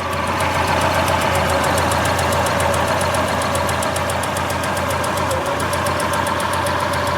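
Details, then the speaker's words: ST170 Mk1 Ford Escort at idle while adjusting the throttle body balance screw with a primitive gauge: uneven, lumpy idle with a fast light ticking on top; running rough because the throttle bodies are out of balance. "so you can probably hear that it's running really rough and that's because the throttle budes are out of balance"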